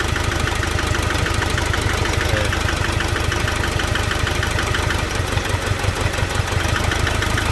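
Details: Nissan NP300 Hardbody pickup idles with an uneven, stumbling beat from an engine misfire, described as a common problem in this generation with its electronic fuel delivery system.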